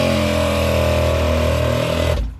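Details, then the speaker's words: ARB air compressor for axle lockers, ignition on, being checked for a leak: hums steadily while charging, then cuts off cleanly at pressure, which per the manual should hold about 15 minutes without recharging. "it should charge up and it should stop and it should stay that way according to the manual for 15 minutes"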